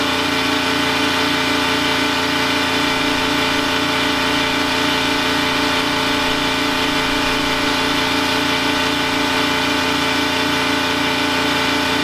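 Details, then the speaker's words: Detroit 3-53 diesel generator in a 1977 Peterbilt 359 motorhome, heard inside without insulation, under heavy load including a 13,000 W water heater: loud, steady drone with dense mechanical whir, no misses or knocks, holding its speed. "So it's still running. I wanted to give you an idea how loud it is in here. It's pretty noisy."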